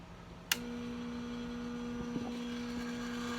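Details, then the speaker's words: Sta-Rite Max E Glas II pool pump that stopped pumping, switched on at the control box: a click as power comes on, then only a faint steady hum or buzz with no run-up; the motor is energized but never turns. "right so you go in you can hear there's a slight buzzing there might be another slight buzzing later today but nothing's happened"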